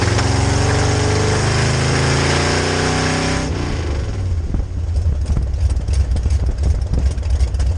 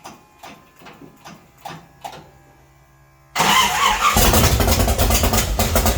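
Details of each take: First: 1966 Chevy C10 rat rod with rebuilt carb on test drive: revs climb then fall abruptly into ragged chug under load; fuel pressure held at idle and cruise, but weak fuel pump can't keep carb bowls full, mimicking ignition problem. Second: 1966 Chevy C10 rat rod, start after adjusting the oil pump and refitting the distributor, timing not yet checked with a light: a few slow cranking strokes, a pause, then it catches and runs steady and even; starts and runs normally.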